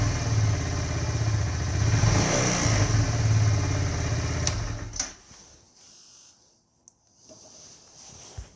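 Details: 2018 Kawasaki Z125, 461 miles, low idle and hard cold starting: small revs then a coarse rasping grind riding over the engine as it decelerates, fading to near silence; grinding noise on deceleration.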